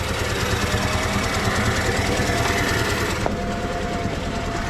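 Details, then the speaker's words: Volkswagen Passat wagon 2.0 turbo with broken cam chain: rough, lumpy idle with an uneven stumble about three times a second under harsh clatter; misfire, cylinder 2 dead from a bent valve. "Runs like crap. It's missing on that one cylinder, but it's running, it's alive, so."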